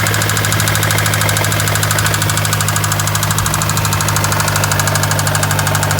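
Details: Mazdaspeed 3 with resonator and second cat deleted: fast knocking about three per second over loud droning exhaust at idle, rod knock after it ran out of oil and spun a bearing or two.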